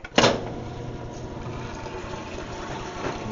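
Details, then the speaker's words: Whirlpool direct-drive top-load washer on a spin test after replacing a faulty lid switch: a sharp clunk, then a steady watery whir as the tub drains, showing the drain system works and the drum spins up. "hear it draining. I know the drain system's working."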